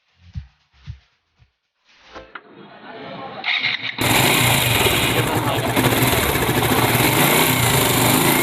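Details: Suzuki Gixxer single-cylinder, from a job on engine noise and timing chain replacement: after a few cranks it catches and runs at a steady, even idle with no knock or rattle, sounding healthy.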